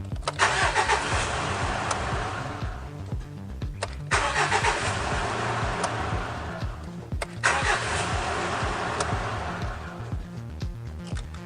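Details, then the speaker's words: Mitsubishi Triton after intermittent no-crank fault from starter voltage dropout, solenoid replaced: three brisk crank-and-start cycles each firing cleanly; tested 12 times without dropout, starter working normally. "that was 12 times an even dozen to make sure that it was working correctly it didn't drop out at all so I'm happy with those results"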